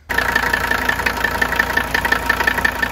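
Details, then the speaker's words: Just-acquired 1981 Mercedes 300TD, OM617 diesel, at idle: a regular deep knock about twice a second, judged heavier than normal injector nailing and persisting off idle. Bad or old fuel is suspected, not confirmed. "Now, somebody may say, "Well, that's just normal piece of platter." I don't think so. Bring it off idle here. It's not going away."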